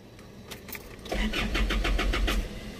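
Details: 2008–2011 Isuzu Alterra diesel: weak, drawn-out cranking before heavy chugging catches at about three strokes a second; hard starting from a nearly severed camshaft position sensor harness wire, sensor itself fine.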